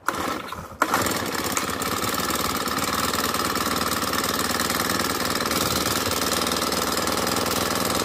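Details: Honda GX35 brushcutter four-stroke restarted after air filter reassembly, following wrong power-steering-fluid oil fill, drain and overfilled Honda oil cleared via spark plug hole; catches after brief crank, settles into steady even buzz, no misses or stalling; some excess oil may remain.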